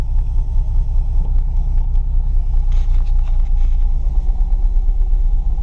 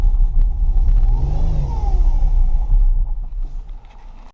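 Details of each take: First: Project Mustang V8 first start after installing a new fuel pump: low steady rumble with even beat, no knocks or misses; engine caught and running smoothly. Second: Mustang project car, first start after installing a new fuel pump, radiator dry: deep, uneven rumble that swells with a throttle blip and never settles into a clean beat; runs and moves but rough.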